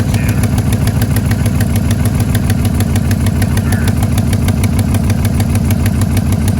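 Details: 176,000-mile all-aluminum LS2 6.0 V8 in a Trailblazer SS with Kooks headers, run without a rear stud for four years and now warped, after an Amazon manifold bolt repair kit: fast, even ticking over a steady idle, an exhaust leak that likely persists.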